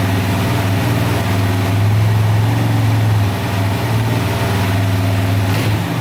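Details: 2004 DVX 400 quad warming up after a rebuild with new valves, valve seals and cam chain, since every valve had been bent; deep steady single-cylinder thump, no ticking or clatter, quiet valvetrain and even idle.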